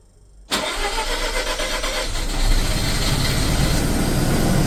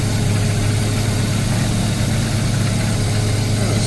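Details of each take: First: Mazda RX7 FC rotary that would not start due to flooding, cranked with no throttle using de-flood, plugs in, charged battery; cranking catches into a ragged coughing idle, nearly dies, smoky, then settles around 800–900 rpm. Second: Mazda RX7 FC rotary, warm idle about 1,100 rpm after coolant change and flooding fix, no crankcase blow-by at oil filler; smooth even low burble with no misses, knocks or hunting.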